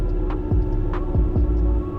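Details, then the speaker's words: 2013 Ford Raptor, 184,000 miles: a steady low hum holds under the drivetrain noise, without knocks, from the rear end; the U-joints are also suspected of noises. "But the problem is, underneath, it's starting to sound like a shopping cart. The rear end is making a humming noise."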